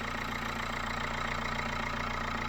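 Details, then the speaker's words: Dacia Logan after head gasket job (new head gasket and bolts, head skimmed, new water pump, cam belt, tensioner, thermostat, fresh coolant), first start: even, steady idle with smooth regular firing beat, no knocks or misses; healthy. "and she's running and she's running really well running like an absolute sewing machine"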